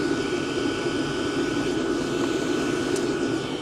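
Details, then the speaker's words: Diesel parking heater combustion-air intake with the filter pulled off: steady, bright, clearer hum with a high whistle, not much louder but more unpleasant, up to 80 dB measured; loud intake noise with the filter removed. "Der Ton ist jetzt nicht unbedingt lauter, aber er ist heller. Man hört es besser, es ist klarer. Also die Schallübertragung ist besser und dadurch, finde ich, ist er unangenehmer."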